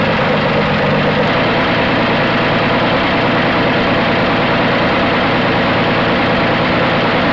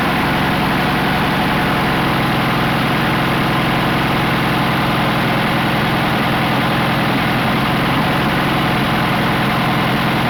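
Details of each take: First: 1980 Dodge D150 petrol engine idling warm after a half-hour drive: steady, even idle with no knocks, ticks or misses. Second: 1980 Dodge D150 six-cylinder petrol just fitted with a Dakota high-torque mini starter: steady but slightly fast idle with a busy beat; owner plans to turn the idle down.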